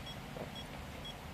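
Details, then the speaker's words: OKM Bionic X4 metal detector during calibration: short high beeps about twice a second, warning that the calibration value (255) is too high, before the calibration knob is turned down. "this is a warning that it is too high so what I'm going to do is I'm going to turn this calibration knob here"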